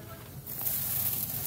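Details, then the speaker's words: Heatcraft walk-in cooler over-freezing product. EXV stepper position reads 0/255, yet a steady hiss of refrigerant keeps flowing, so it won't pump down. The expansion valve is leaking through; the fix was replacing the EXV actuator. "so the exv stepper position is zero out of 255 i can hear the refrigerant running so it's not pumping down"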